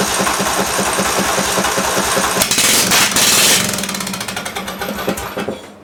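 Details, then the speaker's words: Massey Ferguson (Simplicity) lawn tractor, 18 hp Briggs Intek OHV engine, started without choke, running with no muffler: loud, sharp, slightly uneven cracking bark with smoke. It fires and runs; the carb is suspected of puddling fuel rather than misting it. "That was loud, but it fired. It runs."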